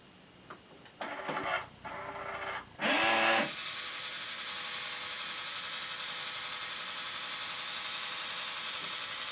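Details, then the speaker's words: OmniBot 2000 robot with tray, powered on by remote after repair (battery terminals replaced, connections redone, switches fixed, tray cleaned): short gear-whirring bursts, a bright beep, then an even motor hum; full startup cycle, working perfectly. "and there it is so that went through its full cycle showing that it's in perfect working order"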